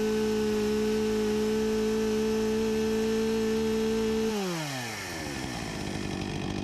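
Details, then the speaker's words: 1989 Husqvarna 254 G two-stroke chainsaw after carburetor refurbishment, idle set to about 3000 rpm, no-load top speed 13,000+ rpm: steady high-rev scream, then falls cleanly to a settled idle; running smooth and healthy. "I’ll set it to 3000rpm Sounds like a good speed right about here"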